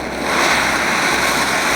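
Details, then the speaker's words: Taruor stove, burner on max with red-hot center ring: loud, steady rushing roar with no sputter or pulsing, louder than the Coleman; normal burner roar. "but if you can here loud it's a loud stove sitting up in the morning early in the morning to make coffee for you and your buddies they'll hear it probably"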